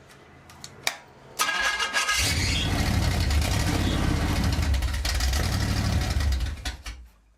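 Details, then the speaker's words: Freshly rebuilt Pontiac 400 V8 on an engine stand during cam break-in, running a borrowed Mustang carburetor: catches after a couple of tries, runs lumpy and uneven, then dies; owner suspects a major vacuum leak on one side, where three cylinders aren't heating. "What this thing's telling me is it has a major vacuum leak. Like huge vacuum leak. And it's on this side."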